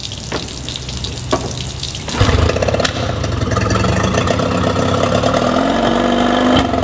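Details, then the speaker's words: Yamaha 20HP two-stroke outboard, timing set the week before, started before checking the reed valves; runs unevenly with spits and stumbles over construction noise, a lean sneeze, reeds suspected but cause not yet found. "this video is likely to be about more than just re valves because what we're looking at is why we've got this lean sneeze condition on the Yamaha we did the timing on last week"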